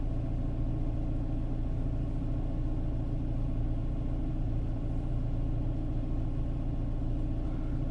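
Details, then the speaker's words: 2011 Renault Clio 1.2L petrol with aftermarket LPG, 75 hp (oxygen/MAP sensor from AliExpress suspected): low uneven idle rumble with irregular beat under two per second, no sharp knocks; sounds like a slight misfire at idle. "but yeah I still got some uh some engine misfire and this is really unfortunate"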